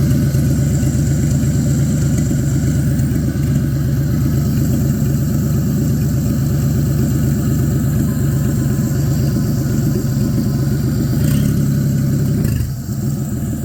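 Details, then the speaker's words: Abandoned Chevy 216 inline six in a 1950 Chevy 1-ton truck: low, steady idle rumble with no audible knock; water pump failed, and the owner suspects the earlier knock came from a loose, rattling clutch part. "guess good news though is I can't seem to hear the knock anymore so it almost self-healed"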